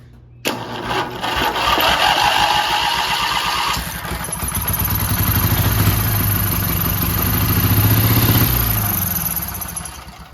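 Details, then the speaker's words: 12.5 hp flat-twin Briggs & Stratton industrial engine stored 25 years, gas poured in: catches after brief crank, stumbles unevenly, then picks up to a steady lumpy run before dying; it runs. "Well, it runs. Well, guys, now that we know that it runs, I guess it's time to, you know, reassemble it."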